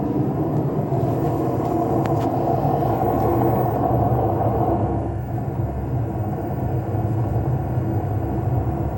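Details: LG washing machine: loud, deep, coarse rumble running continuously as the drum spins; worn drum bearings, fixed by replacing the two ball bearings and the seal.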